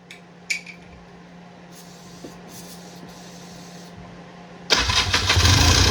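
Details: 1994 Polaris two-stroke 4x4 quad, long sitting, quiet then catches suddenly after battery charge and starting fluid; busy buzzy note, quite smoky, runs properly; just needed the battery charged.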